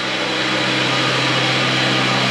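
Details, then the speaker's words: Toyota 4Runner running rough at high idle after exhaust repair, rich mixture, no vacuum leak felt: steady thin high-pitched whine over the engine; suspected failing pulley, AC pump still connected, not confirmed. "sounds like a pulley's going out for some reason they still have the AC pump hooked up"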